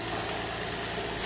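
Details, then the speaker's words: 2003 Nissan Altima VQ35DE after timing chain tensioner repair and timing check, alternator disconnected: quiet, even idle with a steady hum and no ticking or hesitation; the engine idles smoothly. "hey no ticking no nothing your uh alternator light is on because the alternator is not hooked up but it running it's purring like a kitten listen to"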